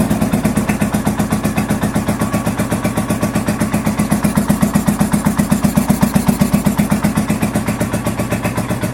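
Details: 1983 Honda VT750 V-twin motorcycle idling on choke after first start following a top end rebuild and modifications: steady, evenly spaced beats about two and a half a second, no misfires or clatter; normal choke idle.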